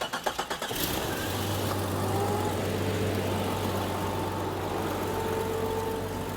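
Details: Vehicle started right after repairing a badly leaking transmission cooling line: quick cranking catches cleanly into a steady, even idle with no misses or knocks, and the engine sounds healthy.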